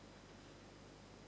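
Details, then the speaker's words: Newly built TDA2050 class AB stereo amplifier, about 60 W total, just powered up with the volume at minimum: a very faint steady hiss from the speakers with no hum, crackle or pops, audible only up close. Normal noise floor. "after connecting the power some background noise is heard from the speakers but you can hear it very much but only when you lean towards the"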